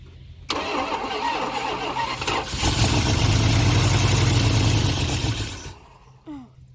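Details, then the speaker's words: Dodge Ramcharger sitting about 16 years, with spark confirmed and fuel poured into the carburetor to fill the float bowls: short crank, runs a few seconds, then dies. Carburetor suspected badly gummed up; not confirmed. "This carburetor may be gummed up real bad. We might need to take something apart. Yeah. So it runs. Just need to keep it running."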